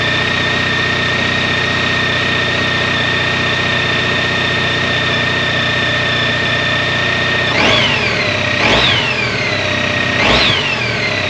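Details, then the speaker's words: 2012 Honda ST1300 ABS V4, after major service with fluids, new front wheel bearings, tires and brakes: steady, even idle with smooth whirr, no knocks, then three clean throttle blips settling back nicely; sounds great. "All right, I'm happy to report that sounds Great. I love the V4 motor in these motorcycles."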